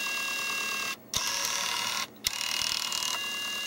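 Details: Nintendo Wii disc drive, case off, that kept ejecting discs: thin high-pitched whirring and ratcheting from the small gear mechanism, with two short silences; the disc never spins or loads fully, so the drive is faulty.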